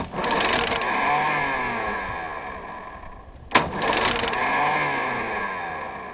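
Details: Mercury outboard that won't start: two bursts of fast starter churning split by a sharp click and a pause, turns over but never catches.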